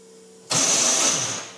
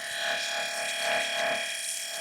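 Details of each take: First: Race car starter motor, fairly new-looking unit, failing to crank: harsh high-pitched whirring grind for about a second with no engine turnover; Bendix drive suspected, but the starter's support mount is broken. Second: Race car electric water pump, replacing the belt-driven pump and switched from the dashboard, running with a steady even whir and high hum, no rattle or grinding; normal operation.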